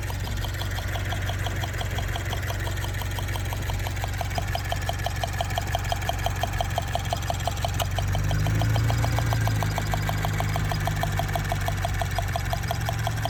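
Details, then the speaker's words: Subaru BRZ direct-injection flat-four at idle, the day after getting the car back: sharp steady ticking about three a second over low hum, sounding like lifter tick; injectors suspected; a misfire code was later thrown. "The next day we start driving the car and we hear like a weird ticking, like a weird tapping noise. It almost sounds like it's a lifter tick."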